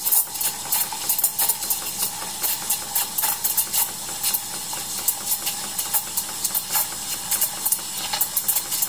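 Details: Decent Espresso DE1+PRO, about a week old, steaming about 200 ml of 2% milk, about 40 seconds: steady hiss with rapid chirping bursts as the milk stretches and swirls; normal steaming.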